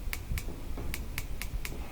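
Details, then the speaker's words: Gas barbecue grill with AA-battery push-button igniter, dial in lighting position: sharp crisp clicks about four a second with visible spark; normal igniter operation. "you should be able to press it when you hear it press it here some clicking you can even see a spark"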